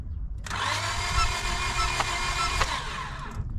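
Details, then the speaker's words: Used 7th-gen Honda Civic, after head work: starter whirs about three seconds with sharp pops out the air cleaner, engine never catches; owner suspects timing off, intake valve opening as piston rises. "timing's off you can tell huh yeah cuz when when you turn the key you hear it popping out the air cleaner"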